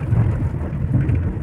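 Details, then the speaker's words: Mahindra XUV500 driven over a potholed, uneven road. Deep rumble with dull thumps on bumps from the front suspension, and knocking and vibration felt through the steering. Suspected worn front rack bushes, loose links and a tired shock, before the suspension is opened. "शोर मचाना प्राणी, steering पकड़ने के दौरान भी मैं समझता हूँ कि वहाँ भी कंपन या खटखटाने की आवाज़ हो रहा है।"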